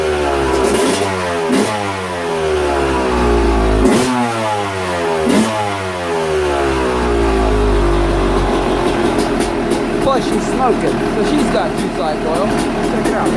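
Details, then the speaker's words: Yamaha YZ250 two-stroke, first start on old tank fuel with premix visible in the carburetor: crisp note rises and falls cleanly through several blips, then settles to a steady, even idle; sounds healthy and stock. "well it sounds good sounds stock but it sounds good"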